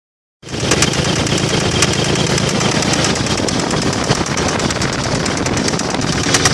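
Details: 1995 Toyota 4Runner 3.0 V6: heavy, rapid knocking over a rough-running engine, suspected connecting rod loose on the crankshaft; rod knock suspected, not confirmed.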